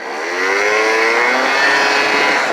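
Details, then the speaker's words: Hyosung SF50 scooter at launch from zero with the wrong, too-light variator rollers fitted: engine screams at high revs and holds nearly flat while speed builds slowly, slower than the usual four to five seconds to 30 mph, like starting in second gear; rollers too light, over-revving. "yeah you can tell they're off so it's like starting out in second gear i don't even get a first gear yeah it's making my rpms too high right now"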